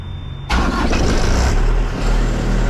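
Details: Prime Inc truck reefer unit powering up, computer booting, at a beer pickup in Fletcher, North Carolina: high steady beep, then the diesel catches and settles into an even idle; normal start-up.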